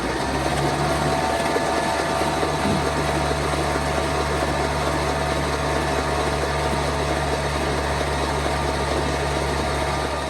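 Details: 1949 Ford truck with a swapped-in 312 Thunderbird V8, sitting about 45 years. After freeing a rust-jammed cylinder 1, the starter spins it at a steady pace with no binding. The engine cranks freely.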